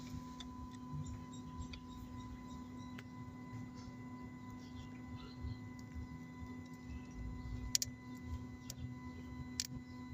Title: symptoms of bad starter solenoid is clicking so on this case brushes are finish#short